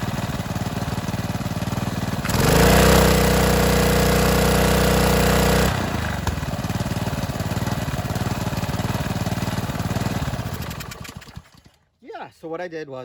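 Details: 2015 Ryobi pressure washer (3100 PSI, 2.5 GPM) with Honda GCV190 engine, after idle-down cable adjustment and lubrication plus new air filter and oil change: steady even beat, drops smoothly to lower idle without dying; normal running.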